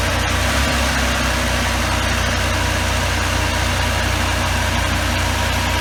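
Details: 1984 Pontiac Trans Am Firebird V8, 5-speed, barn find, hard cold start, first start in years: deep rumble holding steady cold idle, slightly uneven beat.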